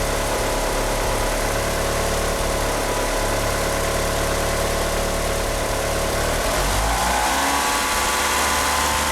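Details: Car fitted with 850cc injectors: a lumpy, uneven idle, then on throttle the revs climb only slowly and sluggishly, with a slipping power steering pump belt. The engine fails to rev out and runs rough.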